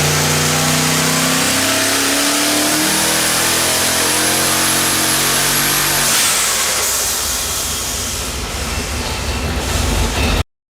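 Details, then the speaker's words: LS V8 junkyard engine with twin two-stage BorgWarner turbos on an engine dyno, pump gas, under boost: ragged, lumpy misfire pass from a broken spark plug and failed coil, two dead cylinders, before the fix. "this is a bad misfire pass and coming up is a clean ones right after this"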